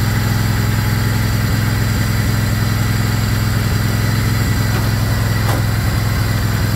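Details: Craftsman GT riding mower (model 917.258873) with 18.5 hp Kohler CV18S 624cc V-twin, after carburetor replacement (long a hard starter), air filter off, jumper pack on low battery: deep, even V-twin burble holding constant speed, no misses or stumbles; normal running.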